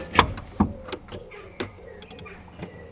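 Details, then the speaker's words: Barn-find BMW E24 635CSi with the main relay refitted: only scattered clicks and a faint whir on the key, no starter crank. An aftermarket alarm above the fuse box was suspected of immobilising the car and was removed. "it's trying to do something we could hear something working but no crank from the starter it was like the car was immobilized and the only thing that could be immobilizing it was this alarm which sat just above the fuse box"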